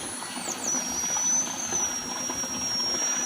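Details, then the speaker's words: A 7 L manual oil pump fluid extractor, pumped down, with a steady airy hiss and thin high whistle as air leaks into the top of the tank or container. "Okey bila pam ada bunyi leaking eh ada bunyi hising leaking. Ada bunyi leaking dekat area sini. Okey dengar dengar bunyi ling angin masuk."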